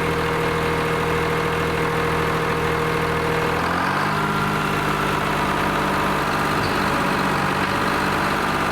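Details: Lima 34 shovel diesel after repairs (radiator tubes sealed, chain on dipper) starts and settles into a steady, even idle with a smooth low drone and no knocks or misses.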